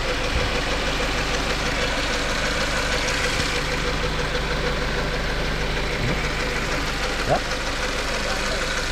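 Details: Subaru FB16 engine at steady idle with a rough, uneven tapping mixed into the hum. Knock-type noise, cause not identified.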